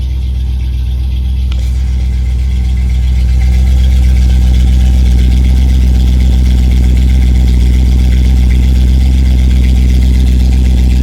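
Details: 1987 Chrysler Fifth Avenue, not run for about 6 months, just started cold in January on choke: smooth, even low rumble at steady idle with a regular beat, no misses or knocks. Normal cold idle.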